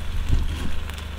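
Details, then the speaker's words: Vintage oil-filled arc welder transformer on about 250 V AC, power peaking near 1,100 W then dropping: steady low mains hum with soft irregular bubbling. Moisture boiling out as the windings dry. "That's bubbling merrily, isn't it? Right. We peaked at 1100 over there and now it's dropping. Yeah, it's dropping quite sharply. So, I guess the windings are drying out."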